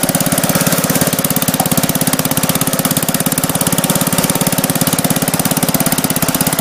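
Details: Gravely Commercial 10A Kohler single-cylinder, snowblower attached, just after first start following rebuild (new piston, rings, rod, governor parts, crank ground 10 under): crisp, steady fast even putter with no knocks or misses; healthy running.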